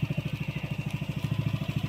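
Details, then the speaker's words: Yamaha Nmax v2 after engine refresh, tensioner and magneto replaced (crankshaft shaft was scored): even, regular low thump around twelve beats a second, no ticking or grinding; quiet, healthy idle. "Inano lang kasi ng mayari kasi yung ano, may sugat kasi yung shafting ng crankshaft. Pero okay na siya, tahimik na siya. All goods."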